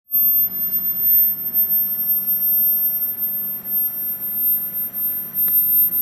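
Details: Klipsch ProMedia 2.1 powered subwoofer: thin, piercing constant high-pitched whine above a low hum and hiss.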